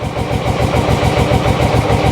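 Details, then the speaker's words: Motorcycle just started on the reserve fuel tap, still cold: chugging, lumpy idle that keeps threatening to fade, won't take revs or the choke coming off; unstable, close to stalling. "It just don't like any revs. It don't like the choke off at the minute. Oh God. Come on. Let's get the choke right off. It's very quiet. We'll just let it heat up a bit, I think. And it might let us rev it up a bit. Come on, keep running. No, no, no, no, no, don't die."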